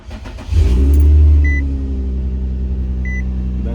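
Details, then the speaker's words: 2004 Infiniti G35X after tightening the loose main drive belt and tensioner: engine cranks, flares up, then settles into a smooth, steady idle with no belt squeal. Belt noise fixed. "sounds better. I tighten the belts up a little bit more."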